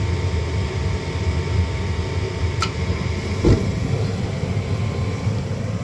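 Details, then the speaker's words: 70,000 BTU upflow Lennox furnace after replacing the pressure switch: steady even low roar without popping, surging or flutter; burners fired up and running normally. "And burners are fired up."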